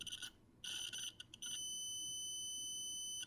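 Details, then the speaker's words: Adafruit Feather M0 Bluefruit with soldered header pins seated in a breadboard, continuity test: high beep chops on and off then holds; connection present but not solid, signal cutting out. "so there is a connection but it doesn't seem super solid you guys can see that the signal is cutting out"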